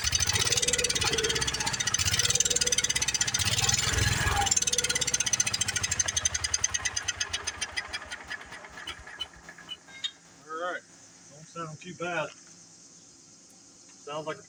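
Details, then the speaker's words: Old Wheel Horse tractor that had sat for a long time, run on carb prime: crisp, even firing for several seconds that slows and dies once the prime burns off; the motor is sound, but it is not picking up fuel. "a pretty good running on motor to me so I guess we're gonna have to uh we're obviously not picking up fuel though so we need to go through on that"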